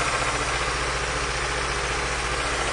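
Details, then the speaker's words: Petrol engine at idle with the engine shaking badly: rough, lumpy idle with an uneven low thump. Cylinder drop test shows no RPM change on number two, so cylinder 2 is dead and misfiring. "now you can hear the misfire uh you can see it's shaking really bad"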